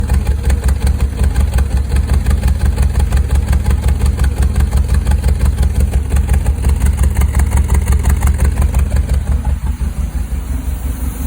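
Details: 1974 MG MGB petrol engine idling with a steady lumpy chuff about three times a second; root cause was two bad spark plugs: rhythmic misfire at idle.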